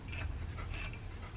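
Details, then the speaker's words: JDM Mitsubishi Lancer Evolution I engine running: a light scraping creak in short bursts, caused by a loose timing belt cover bolt contacting the water pump pulley. "c'était simplement un boulon qui tient le timing qu'on veut le couvert le détermine belle qui était luz et qui venaient en contact avec la poulie de la pompe à l'eau"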